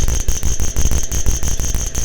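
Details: DIY UPS inverter being pushed toward 500 W–1 kW after battery-module gate-drive tuning: harsh pulsing buzz of four to five bursts a second under a steady shrill whistle, followed by a watchdog reboot; cause unclear.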